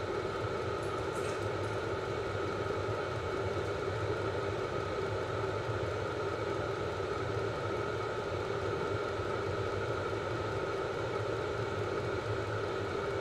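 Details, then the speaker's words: Cheap Chinese diesel heater on two Ryobi batteries, in a garage: at full output and 88 °C, a steady even roar with constant hum, no surging or popping; burning cleanly. "so we're running full steam putting out tons of heat here we're at 88 degrees C"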